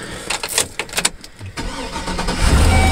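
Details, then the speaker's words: 2005 GMC dually flatbed, 6.0 L Vortec gasoline V8, automatic: a quick burst of sharp diesel-like clacks at start-up fading into steady idle; owner suspects a fan blade or pulley, source unconfirmed. "yeah I'll start it yeah you can hear a couple clicky Clacks in it sounds like a diesel but it's gas"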